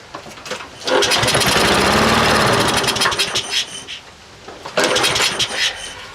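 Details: Troy-Bilt 12AV566N011 mower, primerless automatic choke, fresh gas: catches and sputters a couple of seconds, dies, then stumbles again; hard start from filthy carburetor with hanging needle valve flooding the float bowl.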